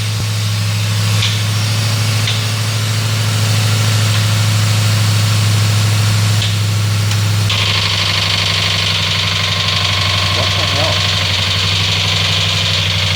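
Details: 2004 Ford Crown Victoria 4.6L 2V after timing chain replacement, just started: steady idle with a sharp hard knocking tap that comes and goes despite oil pressure thought to be built up; cause not found.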